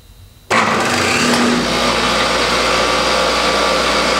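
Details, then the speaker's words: Triumph Spitfire overdrive four-speed gearbox on a test stand, driven by a roughly 3,500 rpm variable-speed electric motor, shifted through all four gears: smooth, even hum with no grinding or clunks even at higher rpm; synchros and shifting healthy. "you want to listen for any sort of grinding noises that's an indication that your synchro rings aren't working appropriately but even at higher rpms we made barely any any noise at all so it's shifting smoothly"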